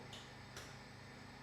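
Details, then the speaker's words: Triumph Tiger 900 GT Pro running a TuneECU secondary air injection test: two faint sharp clicks about half a second apart as the solenoid responds; normal solenoid clicking. "purge valve says run the P purge valve it's doing a test on that whatever that is secondary air injection test it's running that as well checking all that out you can hear it"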